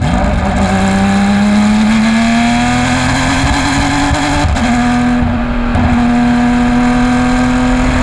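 Loud race engine pulling hard with a rough, stumbling note and uneven drops in the drone as it climbs through the revs, suggesting a misfire.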